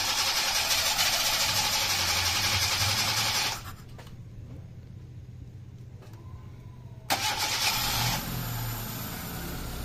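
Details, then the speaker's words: 2008 Hyundai i10 automatic with a misfire, after a fresh top overhaul and a fix found through live data: a loud crank, a quiet gap, then it catches and settles to an even, steady idle; the misfire is gone and it runs smoothly. "Muntik ng hindi umandar. Ah wala na oh. Smooth na kaagad eh."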